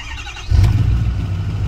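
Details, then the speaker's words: Recently purchased 6.4L Powerstroke diesel V8 that won't build boost and blows black smoke, cold morning start after glow plug light: cranks quickly and settles into a steady deep rumble with no stuttering; a ticking appears afterwards. "Sounds good on crank. Very quick, no stuttering. And for the most part, it sounds good."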